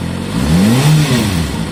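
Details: Kawasaki Ninja ZX-6R, very low mileage, new TÜV inspection, recorded for sale: quick throttle blip, revs rise and fall cleanly over a steady idle, no knocks or rattles; normal running.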